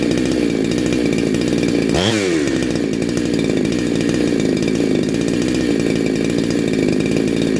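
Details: Neo-tec NH872 chainsaw (372XP clone) with a big bore kit, on a cold start during its second heat cycle. A crisp, steady idle blips up cleanly and drops back to an even idle, sounding awesome and healthy.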